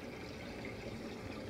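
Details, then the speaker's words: 1992 Bass Cat live well aerator with new Flow-Rite MA-103 ProTimer set to minimum: a little click as the timer kicks on, then a soft, even water trickle and faint low hum; pump running normally. "there it went just kicked on you probably heard that little click and now the pump's running"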